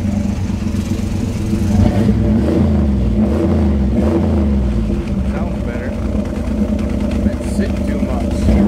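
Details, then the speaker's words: After water was cleared from the exhaust pipes, which had been full; deep, steady V8 burble holding an even beat without stumbling; normal idle. "goodness look at it run now pipes must have been full"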